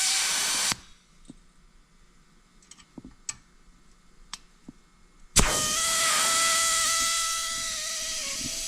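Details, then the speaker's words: Accucraft/Aster USRA Heavy Mikado 1/32 gauge-one live-steam locomotive, alcohol-fired, gauge near 60 psi while setting replacement safety valves: steam hisses off, quiets with ticks, then blows again with a sustained whistling note instead of snapping shut; safety valve slow to reseat. "You see what I mean about those not receding?"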